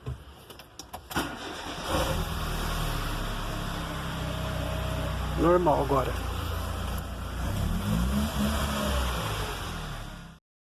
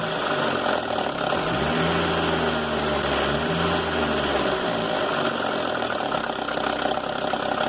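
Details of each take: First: Mercedes A160 after the clogged, dry timing chain tensioner was removed and cleaned of residue: the engine cranks, catches and settles into an even, smooth idle with no chain rattle or ticking over the low hum. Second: Mercedes A160 at idle: a fast, uneven metallic rattle over the engine that persists through a small rev change. Timing chain noise from a clogged chain tensioner losing its thread in the cylinder head; the car also has clutch slip, apparently from a wrong or reconditioned disc.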